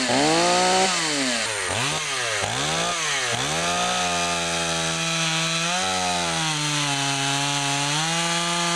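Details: Stihl 028 AV chainsaw after a carburetor rebuild, run outdoors: several quick blips up and down, then it settles to a steady high buzz that holds its pitch. Runs cleanly; normal running.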